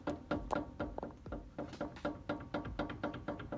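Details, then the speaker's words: Daewoo/Chevrolet Lanos front brake caliper rocked by hand under the car: dull metallic knocks about two a second, from play on worn guide pins; anti-squeal springs muffle it. Cause of knocking over bumps. "до слышим конечно же звук у меня он такой ухой потому что стоят специальные пружины антискрип"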